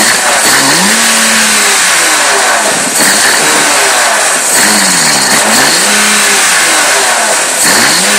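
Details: BMW E36 M3 Evo petrol engine with a rough idle, pitch rising and dipping unevenly between repeated throttle blips.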